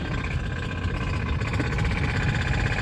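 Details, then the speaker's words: Honda Civic petrol engine at idle: rough, faintly metallic grinding rattle under a heavy low rumble, like metal grinding inside; engine knocking, cause not confirmed. "sounded like metal is grinding inside the engine right now like i can hear the sound of metal grinding inside the engine it's crazy man it's crazy"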